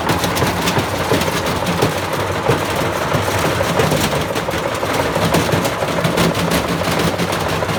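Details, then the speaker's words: Bosch Classic 6 1200 Express washing machine hot-wired straight to the motor, top ballast removed, loaded with objects: constant heavy rattling thumps and clatter from the drum through the spin as it gradually tears itself apart; something breaking loose inside the tub, suspected. "i'm gonna move it back to where it was and give another go it is it is gradually like tearing itself apart it's pretty grim in there"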